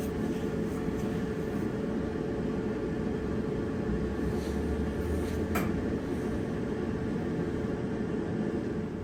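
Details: Dryer after drum roller replacement: steady, even drum rumble with a faint motor hum and no rhythmic wobbling thump; runs smooth and healthy.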